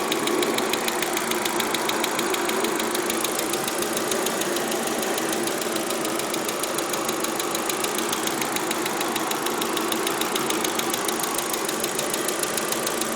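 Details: Audi A4 idling steadily with a fast, light ticking of roughly three per second over the idle; top-end tick, cause not found.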